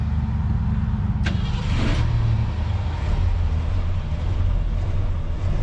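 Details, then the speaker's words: 1968 Ford F100 pickup, not started in a while, cold start with a little gas: brief crank then catches and settles into an even deep exhaust rumble; quiet, healthy running after new shocks fitted. "Listen to that rumble, y'all. Not much rumble. It's got a great exhaust. Got a great exhaust on this old car."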